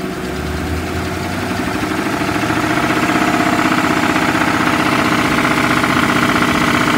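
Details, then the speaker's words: 2007 Ford Crown Victoria Police Interceptor revving with a steady knock about four per second that grows louder as rpm rises; it idles smoothly, and the knock is suspected to come from the bottom end but is not confirmed. Engine knock. "the motor is very responsive and it idles pretty smooth and it revs up pretty good but it has a loud knock and i am not a mechanic but it sounds like it's coming from the bottom"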